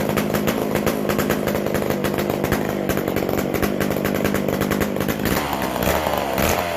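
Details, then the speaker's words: McCulloch Super Pro 125c chainsaw at first fire after cleaning, an intake boot, a new-old-stock muffler and an idle speed/mixture adjustment: crisp, steady two-stroke rattle at high revs, firing evenly before dropping back; running clean. "Hopefully, we'll be right back to pulling her over. That sounds a lot better."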